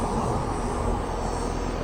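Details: Home AC outdoor unit running after capacitor replacement while indoor blower fan fails to start: steady, even hum and rush of air, no knocks, rattles or squeals; compressor/outdoor unit normal.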